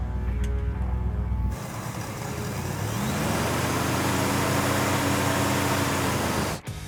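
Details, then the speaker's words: 1964 Chevelle, sitting five-plus years and revived in under a day: engine rises smoothly from idle into a steady, even drive with no knocks or misses under the music; runs pretty smooth, healthy. "good here we go runs pretty smooth um i think we did something right"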